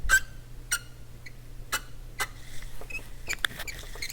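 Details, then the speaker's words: Yamaha CR 450 stereo receiver after replacing transistors, caps and lamps: short, high-pitched squeaks come and go as the tuning dial is turned, over a quiet hum. Dry tuning-mechanism rail suspected, to be lubricated with lithium grease. "this is making that noise so let's put a little tiny bit of lithium grease on that rail and see if that quiets that squeak down"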